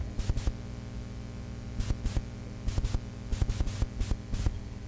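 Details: Korg MS-20 Mini synthesizer noise test with filter peaks turned up: steady low mains-type hum with a hiss bed and irregular thumps; noise floor louder than expected, cause unclear.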